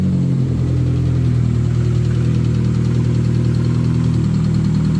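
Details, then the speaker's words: Turbo Metro (K-series) engine idling steady and smooth with an even low beat, no knocks or misses, after a forgotten ECU live ignition feed was reconnected in the new loom; normal idle. "there you go all what a nice and smoothly now"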